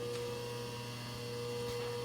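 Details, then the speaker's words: Rewired lathe's low-quality single-phase motor on new rubber isolation mounts, running forward: steady even hum, fixed tone, no knocking, rubbing or rattle; a little noisy, not as nice as three-phase, but normal. "not entirely terribly noisy it obviously ain't great not as nice in the three-phase but it'll work for now"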